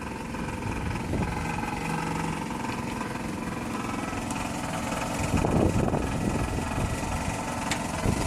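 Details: Toyota 2AZ-FE engine at idle: rough running with an uneven knock mixed into the engine note, about three to four beats a second; source not pinned down.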